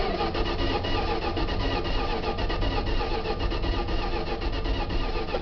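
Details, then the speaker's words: 1977 Dodge van, first start attempt since March 2011 on old stale gas, 76°F, choke set; steady cranking at about one beat per second that never catches. It started on a later try. Crank, no start. "Doesn't sound like she wants to go. I may have to open her up."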